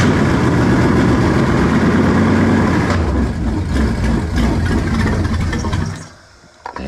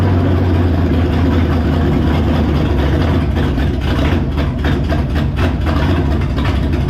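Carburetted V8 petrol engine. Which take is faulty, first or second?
second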